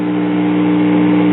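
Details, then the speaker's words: 1960s Montgomery Ward Signature Jr. (Vanity Fair) tube record player warming up: constant low buzzing hum with steady overtones from a bad filter capacitor; the selenium rectifier had been sloppily replaced with a silicon one. "yeah you can hear it has a bad filter capacitor"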